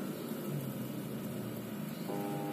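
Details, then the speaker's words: Polytron single-tub washing machine spin-dryer motor hums but won't turn the tub; weak 10 µF capacitor, replaced with 12 µF. "Hai kalau bisa dengar suaranya ini dia dengung Tapi dia nggak mau muter"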